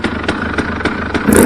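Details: KTM 300 two-stroke just rebuilt (all bearings and seals after stripped transmission gears, new bolt kit, fresh oil and coolant), first start: crisp even bursts about four per second with a quick rev blip; picks up cleanly, sounds healthy.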